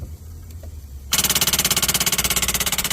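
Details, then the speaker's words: Cranking attempt: after a second of quiet, rapid harsh clicking about three per second with no cranking; corroded battery terminal clamp arcing, Coke poured on it boiling off; battery itself fine. "okay that's an example of a bad terminal connection uh my customer poured some coke on it that's what you see kind of boiling off there but it gave us a Telltale sign we're just we're just arcing in here"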